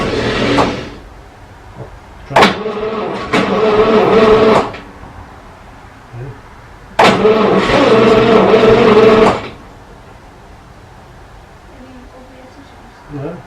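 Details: 1937 Talbot saloon with a 3.2-litre six-cylinder engine, laid up since the mid-1970s, on a gravity fuel feed with its original plugs. The starter churns in two-second bursts with only faint coughs and no catch. It will not start, and the cause is unclear.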